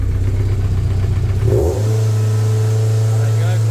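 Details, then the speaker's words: MGF race car on live data: after a blip the revs hang high, then drop suddenly and settle. No fault codes, though the engine light has flashed since a conversion. Idle surge. "straight away [Music] it's gone back down again"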